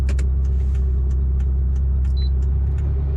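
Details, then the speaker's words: Mitsubishi Lancer EVO 5 at idle, stopped with aircon off, just picked up: steady idle rumble with light crisp ticking about three per second from noisy hydraulic lifters. "I can hear the noisy lifters, so you might be able to hear it through the camera. Maybe."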